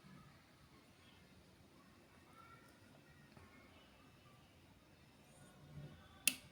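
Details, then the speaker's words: Solar PV low-voltage-disconnect setup: H3Y timer delays switch-on about 10 seconds; quiet room, then one crisp click after several seconds as the timer relay pulls in; delayed switch-on works as intended. "Jadi kalau dari LVD-nya off bareng ya, off-nya bareng, semuanya bareng."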